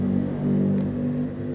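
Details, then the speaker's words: Toyota Kijang KF20 pickup driving: steady low drone from transmission and differential, attributed to expired, sticky, dirt-laden gear oil; oil change suggested to reduce hum. "ini kebetulan kalau suaranya dengung gini ini dari oli ya oli yang udah kad luarsa lengket dan udah ngegram kotoran gitu ya."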